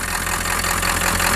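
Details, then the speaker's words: 1997 Ford F-350 diesel pickup with swapped-in engine that sat 10+ years, just revived: steady diesel idle, slightly uneven loping beat, not perfect yet but no knocks or misses; normal idle. "So yeah, as you can see, running, not tickety-boo just yet, but it is running, and that's the important part. See that? Seems to run okay. No big problems."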